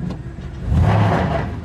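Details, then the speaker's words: 2500 Silverado with 8.1 L Vortec V8 and Allison transmission, under load towing a boat: rough, stumbling low-rpm misfire that clears quickly at higher revs; plugs, coils and wires replaced afterward. "seems to come out of it really fast but it does have that low misfire at uh or that misfire at low rpms"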